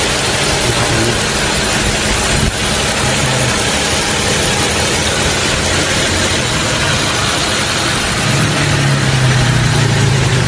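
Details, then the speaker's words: Toyota Camry 3.5L V6 2GR, about 100,000 km, idling in the engine bay after an engine overhaul; the earlier clacking was from failed engine bearings; now smooth, even soft hum with no ticking or rattle, quiet as a whisper; normal idle. "Tiếng lạch cạch hôm trước là do bạc đạn động cơ bị hỏng. Giờ thì nó đang nổ máy êm ái như tiếng thì thầm."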